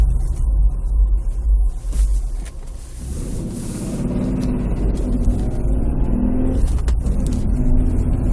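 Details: Nissan Pathfinder: deep uneven rumble and drone from the transmission area, only when the engine is cold, going away after about 5-10 minutes; owner suspects flywheel bearing, cause not confirmed.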